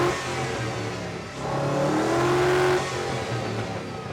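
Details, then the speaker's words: LS-swapped 1949 Ford F1 backfiring through the exhaust with no codes: revs surge and climb unevenly, then sag back, first refusing to rev and then revving on its own; erratic revving. "That not having is this thing backfiring through the exhaust with no codes? It won't rev up at all now. A little bit now. Why is it revving up?"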